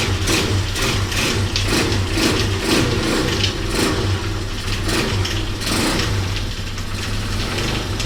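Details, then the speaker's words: Revived Honda XR200R single, after carb spray start, with restrictive muffler: loose metallic rattle pulsing over uneven idle and blips; owner suspects timing chain, possibly the clutch. "here ooo sounds like it's got a timing chain rattling something's rattling almost sounds like from right here the timing chain I believe is on this side"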